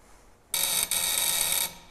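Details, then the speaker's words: 1901 Curved Dash Oldsmobile after years of storage, first start attempt with coil and battery fitted: high sharp coil buzz breaks and cuts out; loose connection suspected. "I got a little uh connection issue up here all right we might have to work on that"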